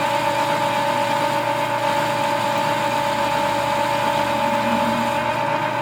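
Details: Lathe with dual belt drive through the gearbox, turning a spring perch sleeve: steady motor drone with dry scuffing rub as the tool takes a good bite; worn drive belts needing repair rubbing, not tool chatter.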